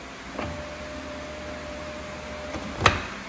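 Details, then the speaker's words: Fiat 500 Abarth passenger window, before lift assembly replacement: faint steady motor whine about two seconds with clunk at each end, glass not moving; failed window regulator, to be replaced with regulator and motor. "but intermittently it will go up and down here the clock just like that we're gonna try it again now you can hear it go all the way down and the window doesn't move"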